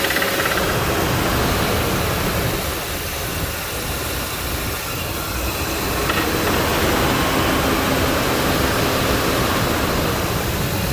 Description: Ford 5.4L Triton clicking noise in engine?